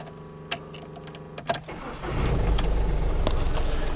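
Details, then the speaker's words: 2000 VW Lupo 1.2 TDI 3L diesel with automated 085 gearbox, started in neutral during gearbox basic setting procedure: clicks and clunks, then catches cleanly into even steady clatter; normal engine start. "Y ahora nos dice Start motor. Ahora arrancamos el motor."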